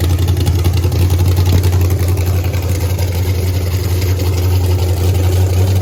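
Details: Texas Speed blower (supercharged) engine in the race Blazer, first fired the day before Race Week: deep, steady, even rumble that stays high and never settles. High idle; owner suspects too much air, likely always high on pump gas.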